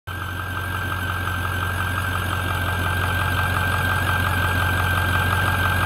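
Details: 6.4 Powerstroke diesel idling with a steady high-pitched whine/squeal that began while driving. Air is trapped in the fuel cooling system's auxiliary coolant pump; filling the small coolant reservoir stopped it only temporarily.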